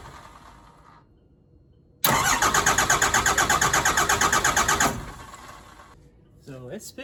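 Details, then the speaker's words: Diesel truck with new injection pump, crank no-start: steady cranking just under three beats a second for about three seconds without firing, injector lines cracked to bleed trapped air; it later started after bleeding. "all right so I got all three lines cracked just enough we'll see if you can get some air out of the system"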